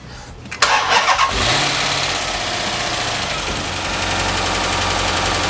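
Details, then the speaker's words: 2006 Dodge Magnum SRT8 Hemi, first start after reassembly with new cam and fresh oil, smoke from burning degreaser: short crank, catches at once, steady even idle with no knocks, no longer vibrating as before; normal start and idle. "boy it sounds really good it's not vibrating like it used to"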